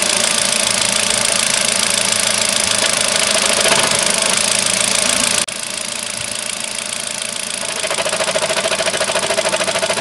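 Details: Kia with 30,000 on the clock: engine runs with a steady tapping near three a second, then a sharp thump and knock as it moves off in first gear; clunk pulling away, cause unknown.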